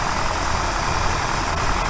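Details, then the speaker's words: 1964 Buick Riviera V8 after the distributor dwell was adjusted from about 40 to 34 (spec 30) with an Allen wrench: a steady, even idle with a firm low rumble and no stumbles. The idle picked way up. "Perfect. The idle picked way up. It's running so much better just with that little adjustment."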